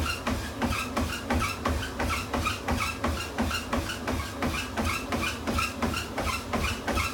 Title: Tunturi T40 making noise